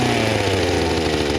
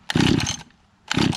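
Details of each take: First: Small two-stroke engine after flooding with wet spark plug cleared; steady high buzz holding speed, dipping briefly under cutting load, running cleanly; works great. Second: Small pull-start two-stroke not started in six months, with the owner unsure whether the switch and choke are on or off: two short rasping pulls about a second apart, neither catching. It is hard to start; the cause is suspected, not confirmed.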